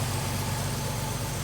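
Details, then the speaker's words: Warm carbureted Chevy S10 after vacuum leak fix, still flooding slightly; idle mixture screws turned fully in bring only a little change when it should shut down; fairly even low burble, idle not responding to mixture adjustment, cause unconfirmed. "a little change, but when you crank him all the way down, that thing should shut down."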